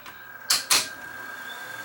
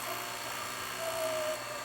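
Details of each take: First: Sony VO-9800 U-matic SP broadcast VTR, before overhaul: a couple of clunks as it engages, then an even, quiet whir of reels spinning fast; fast forward runs smoothly. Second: Sony VO9800 U-matic SP 3/4-inch broadcast VTR playing an old tape likely with sticky shed syndrome; thin howl over mechanism hiss as tape sticks to video heads, heads clogging, machine slowing; tape sticking to video heads.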